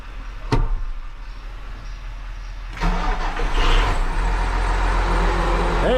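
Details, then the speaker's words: Case 305 tractor diesel, started with the hood off just after replacing exhaust manifold gaskets that had blown on cylinders one and four: a click, starter cranks, and the engine catches into a steady idle with the earlier ticking gone. Normal start and idle. "now that sounds more like it. No more ticking sound. All right, guys. Well, you heard it running. Everything sounds good."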